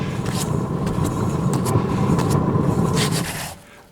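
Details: Hand-spun wheel hub after the hub was cleaned and its seized lock freed, with the original bearings still fitted: a steady, even rush with only a light scrape, dying as it coasts down. The bearings turn smoothly and are tighter than before.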